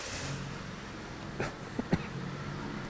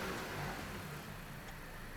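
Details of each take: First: 2007 Dodge Caliber, non-MAF engine, intake tube off, two replacement PCMs fitted: uneven lumpy idle with sharp knocks and heavy vibration, no throttle control. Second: 2007 Dodge Caliber after the throttle body was operated with reversed polarity and brought back: engine revs rise smoothly and settle cleanly without hesitation or misfire; throttle response normal, code 2119 still stored.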